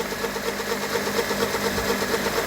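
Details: 2002 Mercedes A-Class, engine not yet warm, before adding oil conditioner: sharp, evenly spaced knocks of about four to five a second over a steady idle. A bottom-end crankshaft knock; the pulleys were checked and ruled out.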